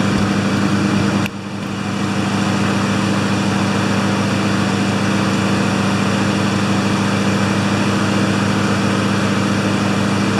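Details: Two Honda single-cylinder mowers after a tune-up (blades sharpened, oil changed, spark plugs cleaned, new air filters, wheels oiled): humming together at a steady, even speed with no misses or surging; both running cleanly.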